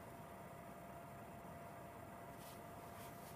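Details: PS4 playing Advanced Warfare: a steady whooshing rush with a faint constant tone. The cooling fan gets louder during play and drops while loading in the lobby; loud fan noise.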